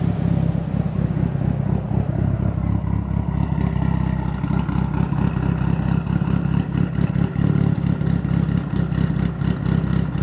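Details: Tial BOV just installed on a car started cold that morning: deep uneven note that stumbles and surges as throttle comes in, bogging at idle; owner thinks it feels like fuel cut but smells very rich, cause unconfirmed.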